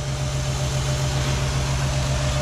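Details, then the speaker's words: 2007 Jeep Grand Cherokee 3.7L with code P0202, open injector circuit on cylinder 2: uneven lumpy idle with low pulsing hum and irregular stumble; cylinder 2 dead from the open injector circuit. "get her started up oh sure now it's misfiring hahaha"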